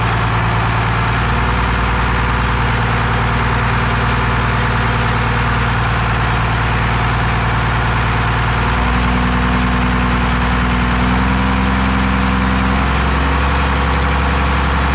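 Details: 12-valve Cummins diesel on an engine stand out of the truck, first run after a rebuild for glazed cylinders (very low mileage, cause unknown; deglazed). Steady, even clatter at low idle with an unchanging rhythm and no knocks or misses; running healthy.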